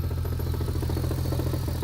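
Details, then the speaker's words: 2001 manual turbo Lexus IS300 (2JZ) at idle: a heavy, steady, fairly quick internal-sounding knock that grew from an occasional knock. Bottom end or clutch was feared; after engine removal a loose crank pulley was suspected. "it started out as a little knock knock occasionally here and there and i kind of just kept driving it because it was too hard to diagnose till it got to this point"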